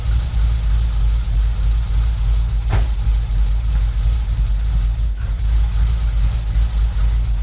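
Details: Toyota Tercel wagon with swapped 4A engine and carburettor, just after fitting a Schneider Racing regrind cam with valve springs: deep, uneven loping idle with a rhythmic exhaust chop, running as intended, with the owner amazed at the chop.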